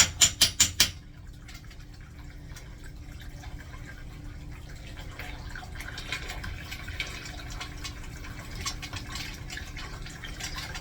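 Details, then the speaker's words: Newly installed 1-gallon-per-flush urinal flushometer valve: a few sharp clacks, then a continuous hiss of water that never stops. The valve won't shut off; owner suspects a clogged diaphragm orifice and may need to clean the diaphragm. "doesn't appear to want to shut off, guys. So unfortunately, there's probably, I didn't flush it the way I said I wanted to. So I might have to take it apart up there and clean that diaphragm."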